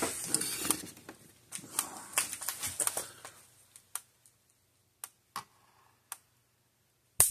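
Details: 2012 Blitzer (Zareba) 25 mile fence charger, reassembled after repair for no output voltage: after handling noise, sharp single snaps about once a second, the steady pulse of a working charger, sparking through.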